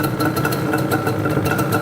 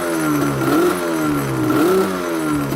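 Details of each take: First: Yamaha Banshee two-stroke shortly after cold first-kick start: lumpy, burbling idle with uneven popping pulses and some smoke; running rich, choke seemingly held on permanently. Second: Yamaha Banshee two-stroke ATV, warmed up: buzz rising and falling about once a second in clean, even blips, revving out freely with no bog once the parking brake, which was acting like a permanent choke, is released.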